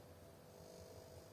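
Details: Oven plugged into socket: clock blinks, programs won't start, no fan, relay or heating, only a faint steady mid-pitched buzz, much weaker than owner reported crackling; failing X2 suppression capacitor on control board.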